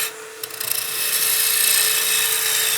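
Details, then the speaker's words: Maple baseball bat blank being roughed on a lathe, lightly supported by hand: an even scraping cut over a steady lathe hum with no chatter, cutting easier and with less vibration. "and allow that piece to be cut a little bit easier with less vibration."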